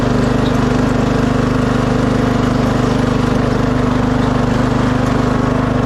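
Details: 2006 Craftsman LT3000 after oil change, new idler and charged battery, hill testing; steady single-cylinder beat around 3.5 firings a second, no knocks or rattles; smooth running under load.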